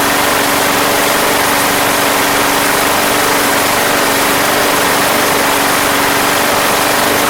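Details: Craftsman Platinum lawn mower, Briggs 190cc engine, running after a no-start fix with a replacement carburetor: steady, even drone, no misses or surging; gas was seen pouring from the crankcase vent, yet it runs healthy.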